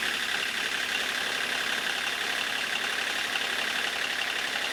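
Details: Kubota D1105 three-cylinder diesel in a converted 1994 Geo Metro, idling after a new lift pump was fitted: steady diesel clatter with an even, unbroken rhythm and no stumbling. Normal diesel idle.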